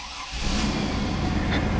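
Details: 2000 Chevy Blazer after fuel pump replacement and tank reinstall, about 2.5 gallons of gas added, key on to pressurize first: short crank, then the engine catches cleanly and settles into a steady, even run; normal start and idle.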